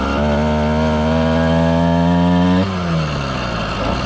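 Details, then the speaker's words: 110cc two-stroke motorized bicycle after performance fixes, loaded down, running rich; howls at high near-steady revs while speed doesn't follow, then pitch drops as throttle eases. Clutch slipping under load, strong low end. "it's just slipping the clutch that's a lot of low end power"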